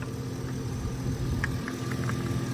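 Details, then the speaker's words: Hurricane Ian flood-damaged 70k-mile Chevrolet Trailblazer at auction: steady, even idle with no knock or tick after a possible slight misfire and suspected cold piston slap on initial start; coolant slightly low, engine sounds healthy. "actually the engine doesn't sound too bad might have had a little misfire its initial start"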